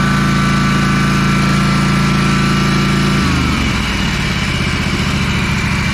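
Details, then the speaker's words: Ferris 52-inch commercial walk-behind hydro mower, twin-cylinder, after cleaning the carb and fitting a bowl O-ring (a bad O-ring blocked a fuel jet): steady, even drone with clean speed drop, no misses; runs much better than before. "out that sounds pretty good oh that's a lot [Music] better"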